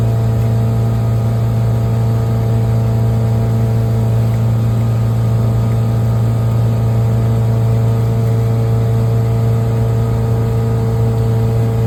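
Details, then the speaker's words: 5.7 L MerCruiser boat engine at full throttle and planing, after a tune-up (new plugs, wires, rotor, cap and coil) and an outdrive rebuild; a deep, steady drone with no misses, knocks or flutter, pulling smooth under load; it runs normally. "sure sounds like a good engine now oh yeah she's uh she's humming she's planing all right"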